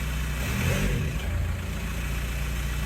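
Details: Mk4 Jetta TDI with a home-welded exhaust modification meant for more boost sounds. It idles, then blips up with a puffing, chuffing blow on the rev: an exhaust leak at the welded joints.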